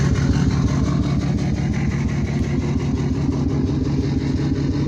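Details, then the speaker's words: Chevy diesel truck (Dirtymax) idling at night through an 8-inch exhaust tip, check-engine light on: loud, lumpy idle about three pulses a second, like a cylinder not pulling; running sick, awaiting a replacement engine. "Sounds like a pissed off Dirtymax, but nope. She's not a healthy truck. She's a sick truck."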